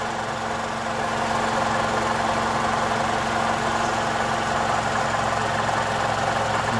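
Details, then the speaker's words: 2012 Toyota Camry 2.5 2AR-FE after balance shaft assembly replacement, warm engine idling: even, steady hum and low drone with no heavy knock; much better than before, a smooth, healthy idle. "so it's way better so I wind up taking the balance shaft apart"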